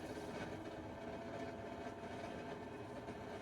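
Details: Camper furnace blower, after a tripping breaker, oiling two spots and clearing debris: constant whirring drone with a faint steady hum at unchanging speed. Noisy blower fan suspected of meeting too much resistance; cause unconfirmed.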